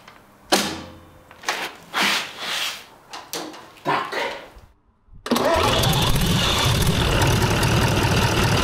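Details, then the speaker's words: Rebuilt air-cooled Tatra 148 diesel, run at raised speed to measure cooling-fan air pressure (about 170 mm water column): loud, even roar at raised speed, no knocks; healthy. "Il faut maintenant faire tourner le moteur jusqu'à environ 2 000 tr/min. Oui, le moteur devrait être à 2000 tr/min, donc je vais essayer de le régler approximativement."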